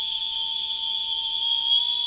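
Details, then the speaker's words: Holmes Hobbies Revolver 1400kV brushless outrunner on Castle Sidewinder 4, hand-held test before fitting to MC8 8x8 truck, no load: clean steady high-pitched whine, no rattles or grinding; healthy. "It's got a high-pitched noise, but it's not. I don't think that's much louder than a brush motor going at it."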